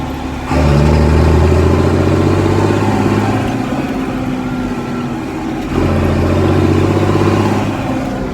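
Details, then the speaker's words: John Deere 4755 Powershift after complete transmission rebuild and steering motor repair, driven on road (30 km/h limit): deep steady diesel growl swelling under load, easing, pulling again; smooth and healthy. "She certainly growls. I don't know if it comes across very well on the video, but it's pretty pleasing."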